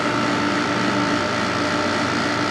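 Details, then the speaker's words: 1995 Carrier VisionAire A/C after clean-out and fan remount, first start: steady even whirr, low hum and fan rush, no rubbing or rattling; hot air initially expelled, running normally. "it really sounds good that's awesome for some reason as soon as i started it a ton of hot air came out that was a little odd but it is running"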